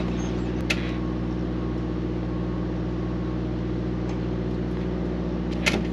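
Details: Mack MP8 / Volvo D13 truck diesel after a Volvo specialist sorted the injectors to cure its long-crank hard start, recorded from outside: low steady idle with an even beat and no misfire or knock; running good.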